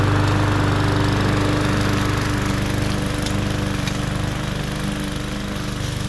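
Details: MTD 20-inch mower with Briggs and Stratton engine, previously hydrolocked with oil, test run after repair: even, steady single-cylinder drone at constant speed with no surging, misses or knocking; runs healthy.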